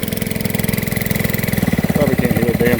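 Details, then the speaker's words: Gold dredge pump's small single-cylinder engine after fresh gas following nine months idle. It pulses steadily, picking up slightly toward the end, with no misfires or knocking. It runs fine. "everything looks good runs fine try out on screen can't wait to use it"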